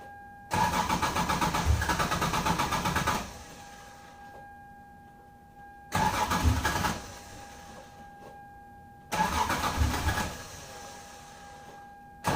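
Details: 1996 Lexus SC300 2JZ, manual W58, at about 60°F, colder than usual. Three bursts of steady cranking, about three seconds each, with no firing between them: an extended crank and hard start before the fuel pump ECU bypass. Cause not confirmed.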